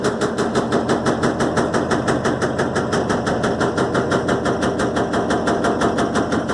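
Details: Electrolux LTE12 washing machine suspension test: sharp, very regular knocks at about three per second with a hollow metallic ring as the drum bangs. Repeated knocking, cause unclear.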